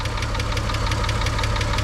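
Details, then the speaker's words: VW Beetle VR6 warmed up at idle before an engine flush and hydraulic lifter additive: quick light ticks, about six a second, over the idle; owner suspects a lifter, unconfirmed; valve train ticking. "there's some kind of there's there's some kind of mysterious ticking noise going on it's driving me crazy I'm really hoping it's nothing serious I'm thinking it's like a lifter"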